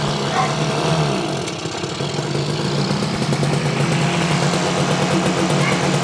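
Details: 1968 Yamaha YAS1C 125 two-stroke twin, air cleaners off and choked after carburetor cleaning, idles unevenly with irregular beats and gaps; right cylinder dropping out, misfire persists despite cleaning.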